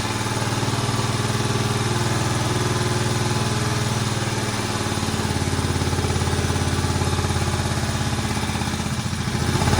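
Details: Barn-find Moto Guzzi single after head work, first run since the mid-80s: steady idle with even firing beats and a small rise at the end, a bit smoky but healthy; needs some adjustment.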